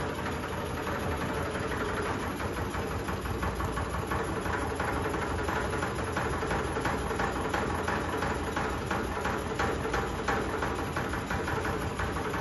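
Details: Sony 2022-model ceiling fan running at full speed: loud continuous roar with a rhythmic throb about three times a second, a wobbling drone from strong shaking and vibration.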